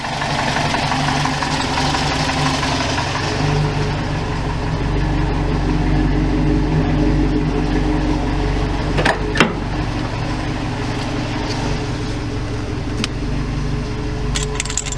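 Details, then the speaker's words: 1987 Toyota Pickup with the 22R-TE turbo engine, warm, idling down about 2 minutes to cool the turbo: idle drops from about 1000 rpm to just below 500 with a slight uneven lope; owner unsure if the low idle is normal. "it usually slows slows down just below 500 idle's really low I'm not sure if that's normal noral or or what"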